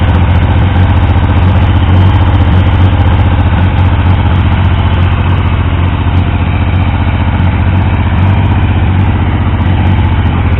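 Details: Triumph T150V triple, rebuilt top end after oil leaks; started on the 2nd kick. Steady, even idle thrum with a consistent low beat, no knocks or rattles. Oil pressure ~70 psi revving, ~40 psi below 2000 rpm; no leaks; normal idle.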